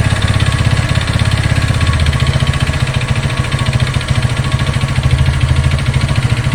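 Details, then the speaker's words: Haojue DR160 motorcycle engine at idle with earlier fuel-injection fault found by scanner; fast regular tapping about three per second over low thrum, eases when revved; source unknown, owner will have dealer inspect. "Esse é um barulho bem chato eu vou estar levando ela na Suzuki lá para ver o que que eles falam nesse barulho"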